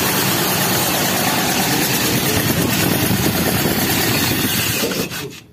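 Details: Toyota Kijang Super engine, hard to start and misfiring: loud uneven idle stumbling and coughing about three times per second; compression leak suspected, later found corroded cylinder head and loose pistons from overheating.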